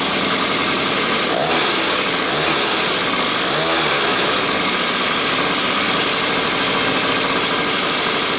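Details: Mini chopper with a suspected carburetor problem, started on choke; buzzy high-pitched small single runs steadily after catching with even pulses and no misses, sounding healthy.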